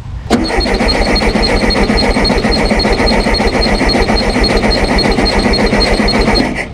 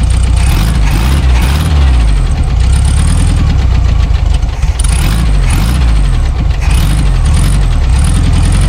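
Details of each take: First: Abandoned 1974 VW Super Beetle, off road since 2002, starting fluid in carburetor: starter churns steadily three to four turns a second for six seconds, never catches; no gas reaching fuel filter. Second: Abandoned 1974 VW Super Beetle air-cooled flat-four after tune-up with new points, condenser, rotor, cap, plug wires: starts, revs rise and fall smoothly with throttle blips, no misses; oil pressure present, generator charging.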